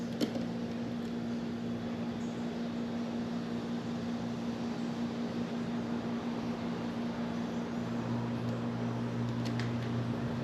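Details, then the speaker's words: Home AC air handler switched on while fixing the tenant's thermostat wiring, before the blower was cleaned (owner notes it is dirty): a soft, steady fan whoosh with a faint even hum and no rattle or scrape; the blower runs smoothly. "AC came on I can hear the fan on top of me"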